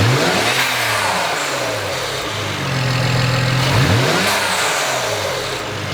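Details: BMW E92 335i N54, warmed up in park after ARM charge pipe and Tial Q BOV install for no-boost from broken charge pipe and bad diverter valve: two revs, each lift-off cut by a short air rush; BOV venting normally.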